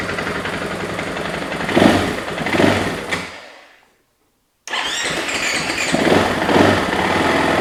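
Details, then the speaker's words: 2024 KTM EXC-F 500 single, cold start on stock exhaust after air filter modification, not revved to keep it cool: popping cold idle with small blips and a brief cutout, then settles; sounds healthy. "Before I do the exhaust, I just want to start it up to see how she sounds. The stock exhaust, just giving an example."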